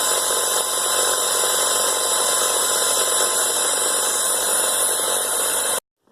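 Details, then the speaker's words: 1996 Toyota Camry just after replacing a badly rib-separated serpentine belt: a steady, even idle with a constant hum and no squeal or chirp. The belt drive is running clean. "looks everything is fine. Well, pretty good."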